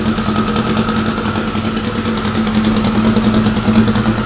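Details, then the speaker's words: Car, fully warmed up after sitting: lumpy, shaking tractor-like idle with an uneven chuff about three times a second, cylinders 3 and 4 seem to be missing; owner plans new spark plugs; misfire from fouled plugs. "sounds like a tractor well this thing is definitely not happy whatsoever got a pretty good [Music] hire H seems like cylinder 3 and four are missing I think I'm going to swap some new plugs in it"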